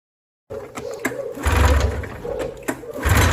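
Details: High-mileage 1989 Arctic Cat Jag 440 AFS two-stroke snowmobile: lumpy, uneven idle with irregular stumbles, running on one cylinder after it bogged and lost power; one cylinder's pressure checked, electrical diagnosis pending.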